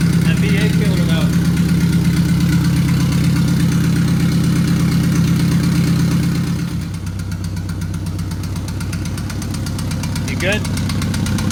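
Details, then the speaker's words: Mazdaspeed 6 with newly built engine, first startup: lumpy idle with uneven thump nearly three times a second that smooths midway; misfire from an ignition coil pack left unplugged, causing a weird-sounding idle. "a coil pack was not plugged in when we did the first startup and that caused a weird-sounding idle"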